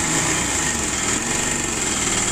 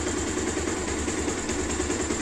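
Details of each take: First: 2016 Pulsar 150 motorcycle before repair: steady single-cylinder idle with fast dry metallic chatter on top, timing chain noise; timing chain, timing adjuster and engine oil to be replaced. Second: 2016 Bajaj Pulsar 150 after repair, owner previously told of cam-side noise: steady, even single-cylinder idle with no ticking or chain rattle over the exhaust, holding constant revs and sounding healthy.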